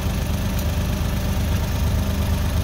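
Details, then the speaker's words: Suzuki DA63 with K6A engine runs on with a low, even idle rumble after the key is turned off, continuing even with the ignition harness removed; cause is wrong wiring in the relay circuit (fuse box relays: main, starter, fan). "Yan, hanggang ngayon ay naka-andar pa rin ang makina kahit naka-off position na ang susi."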